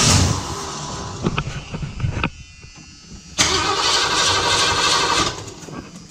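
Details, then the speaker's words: 1978 Ford E150 Econoline auction van, after starter issue, full battery; two bursts of strong even cranking that never catch; motor sounds good but not getting fuel; fuel to be drained and fuel pump possibly replaced. "yeah it's not getting fuel motor sounds good though"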